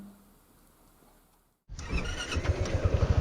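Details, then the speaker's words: SYM Maxsym 400 scooter test ride after rear final drive (reducer) repair that cut reducer play about threefold, variator reassembled and oil refilled: even, rising drone pulling away, no clunks; knock over small bumps from the final drive now gone. "я скажу что я уже чувствую что звук пропала в редукторе стук потому что на мельчайшая кочка это чувствовалось"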